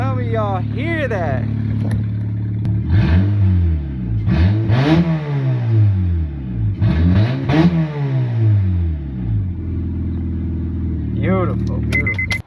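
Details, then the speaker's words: Car with a P0172 code and exhaust leak, cold start with the exhaust opened after the catalytic converter: a loud, raw, unmuffled note rises and falls with throttle blips. "but for now guys how about we do another cold start with the open catalytic converter"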